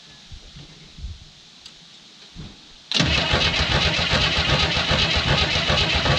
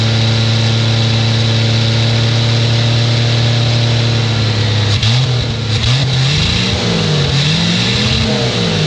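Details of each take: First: 1967 Chevy II Nova sitting 30 years, fuel line disconnected, object jammed in to clear flooding: starter spins evenly for several seconds but engine never catches; flooded. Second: 1967 Chevy II Nova, sat 30 years as field find, first start bottle-fed gas into carb with leaking radiator. Steady low hum, then pitch swings up and down unevenly before settling to a faster steady run. Engine runs.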